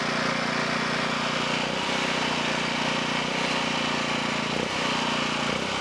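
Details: Low-hours 11hp Generac generator engine, generator head burnt out, after freeing stuck carburetor idle control: smooth, even single-cylinder drone at steady speed with no misses, knocks or surging; running healthy.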